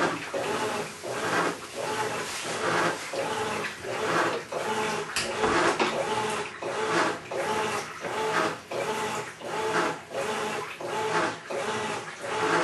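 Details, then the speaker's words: Maytag Centennial Commercial Technology washer, about 14 months old, just past one-year warranty, overloaded for demo: rough gritty grinding like gravel in a cement mixer surges with each agitator stroke, about forty a minute, during wash agitation before draining. "high-quality American brand washing machine sounds like it's grinding up a load of gravel"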